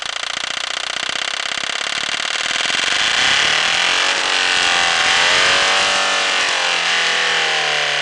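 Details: End-of-life PSA 2.1 turbo diesel with a leaking Lucas injection pump, restarting with petrol sprayed into the intake after starting trouble. Quick steady knocking about four a second as it catches, then a rougher rising run. Cause unconfirmed.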